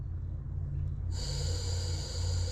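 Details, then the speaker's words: German showman's steam engine being restored: burner refitted, line connected, fuel in tank, checking whether gas escapes. A steady high hiss switches on partway and holds evenly; gas flows freely through the burner, a good sound. "we have fuel in our tank now we'll move this and we're going to listen to see if we can hear our burner at least the gas escaping from it"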